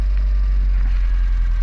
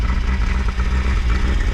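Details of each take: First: Peugeot 205 GL, carbureted, half-warm start with choke then removed: low, steady idle rumble, even with no hunting or stumbling; idling normally. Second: Peugeot 205 GL warm engine idling with choke pulled: deep, slightly lumpy idle with uneven low pulsing, a little blue smoke, cylinders flooded with fuel; over-rich running from choke on a warm engine.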